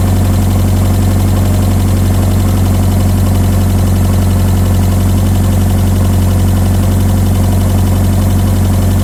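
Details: Mazda Miata engine running after a no-start was traced to incorrectly plugged ignition coil connectors, timing rechecked: steady, even low idle hum with smooth regular pulse, no misses or knocks; running cleanly.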